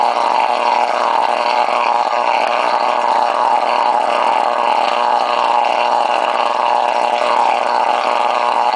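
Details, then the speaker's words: CFR unit running long-term with spark plug and screen in reused, dirty water: after over a minute, steady buzzing drone develops a wavering, echo-like harmonic ring over the plasma sparking; cause unknown. "it starts uh making this other harmonic kind of a sound that's uh like it's an echo kind of a sound aside from the plasma sparking up sound"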